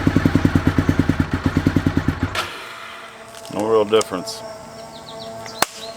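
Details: 2001 Honda VFR Interceptor (Gen 5) V4, barn-stored nearly a decade; uneven lumpy pulses for about two seconds then dies, misfiring; only one exhaust pipe got hot, other plugs show good spark and are dry; owner guesses clogged fuel injectors.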